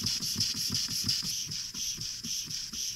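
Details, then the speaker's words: Antique brass walking beam engine under repair on air: even exhaust beats and a steady hiss with a light uneven knock about three a second, in time with the stroke. The rattling and knocking remain, cause not identified. "our exhaust beats are nice and even well other than the rattling and the knocking sounds that we still have"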